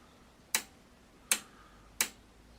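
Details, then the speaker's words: Pye V4 TV chassis power switch: four crisp, sharp snaps in a quiet room, each a clean mechanical click, a healthy old-fashioned on-off switch working properly. "all that is that is a good old-fashioned proper on-off switch"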